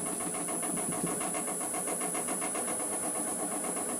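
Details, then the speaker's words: Green natural-edge wood blank, about 3.5 in thick on one side and 2 in on the other, spinning on a lathe near 400 rpm; a steady whirring hiss with a rhythmic throb about four times a second as the out-of-balance blank wobbles. "It's a bit out of shape, it will wobble a bit. See if we can get past it."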